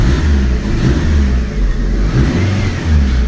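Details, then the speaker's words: Fiat 500: low rumble swells and sags about once a second, kept alive only by holding the accelerator, then dies. Rough running, cause unknown. "So, this car is really rough, but the only way to keep it running is me keeping my foots on the accelerator pedal."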